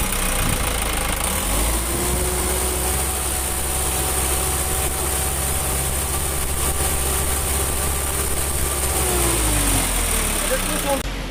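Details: Isuzu Reward 4HG1 diesel idling with a low, uneven beat and slight stumble in the firing, one cylinder not pulling its weight: engine misfire.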